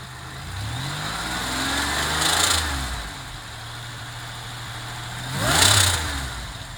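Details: GM 3800 Series 3 supercharged with HP hot cam, OE-R lifters, stock pushrods and rockers, about 160 lb springs: harsh sizzling valvetrain clatter starting about 3200 rpm on revs; springs, rockers, rods look good, owner suspects a collapsing lifter.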